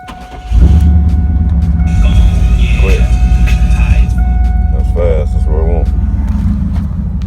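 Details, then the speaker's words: 1999-2000 GMC Denali/Escalade (GMT400), first start after being down a while, following new oil pressure switch, fuel filter, coolant temperature sensor, crank sensor, heater core and hoses, with engine treatment in the oil and thermostat not yet replaced: fires almost instantly into a deep, steady idle with no stumble or misfire; normal start and idle. "But he's alive. He's back. Been down for a minute, but he's back. Sounds real good."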